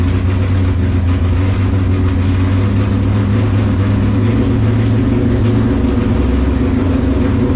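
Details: LS7 V8 in S14 competition car, first start after about 3 months sitting and an oil change with 10 litres, run to build oil pressure before priming the accusump: loud, deep, steady burble, no knocks or misses; normal idle.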